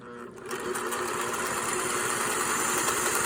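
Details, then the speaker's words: Fully serviced Singer 401A sewing machine sewing a built-in decorative stitch: smooth, even, rapid needle-drive clatter, quite quiet with no knocks or grinding; normal running. "I really like this machine. And you can also hear it's not a very loud machine for, you know, look at that."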